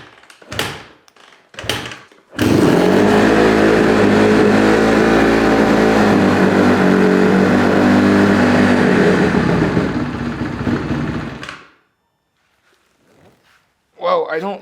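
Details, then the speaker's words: 2008 Honda CRF150RB carbureted dirt bike after freeing stuck hot start: fires and holds a fast, even idle for about ten seconds without settling; high idle persists, new hot start didn't fix it; owner next suspects spark plug. "don't think unfortunately the new hot start helped us out on the high idle"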